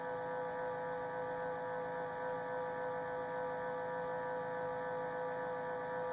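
A steady, thin whine with a faint hum underneath stays level throughout; the fridge whines, and the cause cannot be told.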